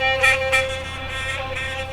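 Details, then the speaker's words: Philips Sonicare DiamondClean toothbrush after repair, test-brushing with water: steady, even high-pitched buzz with no wavering or rattle, splashing over it; keeps good vibration in all directions. "keeps its good vibration in all directions"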